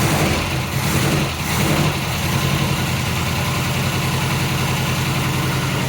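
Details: 1980 MGB after a clutch release fix, started cold with the throttle pumped: the four-cylinder settles into a steady, even idle with a low, regular thrum and no knocks or misses.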